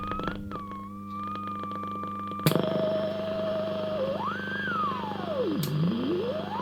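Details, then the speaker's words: Hallicrafters S-20R tube receiver, first power-up with bad filter caps: clean whistle glides up and down in pitch as dial turns over low steady hum; beat frequency oscillator working. "I don't know if you can hear that. The BFO is working. Can you believe it?"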